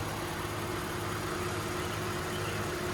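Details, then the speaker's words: 2012 Lexus RX 350, Toyota 2GR-FE V6 with 148K miles, only routine maintenance: steady, even idle with a smooth low hum and a faint constant tone, no knocks or misses, a healthy engine. "as you can see the engine works like a beast there's nothing wrong with it there's a little dust all around it but um hopefully you can hear how good this engine is"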